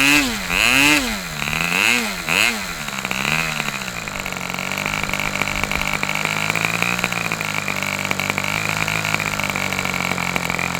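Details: Customer's Fox twin-cylinder glow engine on probably its final run of the day, outdoors as it cools off: high-pitched twin revs up and down a few times, then holds a steady, even scream; runs strong and clean.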